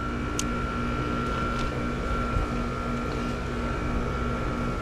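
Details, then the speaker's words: Home air conditioner outdoor unit after replacing the capacitor (455), compressor now starting after previously not working; steady low hum with constant mid-pitched tone and fan rush, running normally. "all right so let's try that all over again all right I hear the compressor this time"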